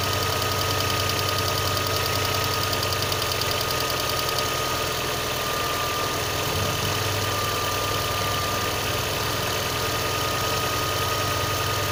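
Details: VAZ 2112 petrol engine idling cold: light, fairly regular knock of roughly three a second over the running noise; source undetermined.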